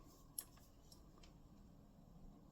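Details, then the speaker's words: Honda ST90 motorcycle being rewired: faint soft ticking and buzzing of the turn signal flasher relay once the indicator wires are found; indicator circuit works normally. "and can hear it buzzing so we know them two wires now are indicator well indicators or turn signals depending on where you come from"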